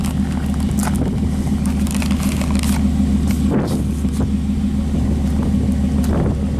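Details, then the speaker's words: Older high-mileage truck cold start on an 80-degree day, then idling; steady even low rumble with no knocks or misses, owner says she's running good; normal idle. "just for shits and girls we'll do a grimy cold start even though it's like 80 degrees out how's that how's that sound"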